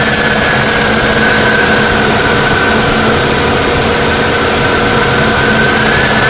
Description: 2002 Oldsmobile Alero Alternator bearing going bad.